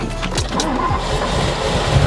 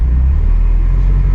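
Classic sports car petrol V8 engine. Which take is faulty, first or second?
first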